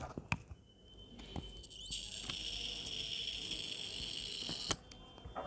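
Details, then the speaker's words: Dead mobile phone powered from a DC machine: thin high steady whine when the battery connects, stopping when removed; short circuit on the logic board drawing current. "ये देखिए, आवाज़ सुनिए, ये आवाज़ आ रही है, तो शॉर्ट सर्किट हो रहा है, लगाने पे आवाज़ आती है।"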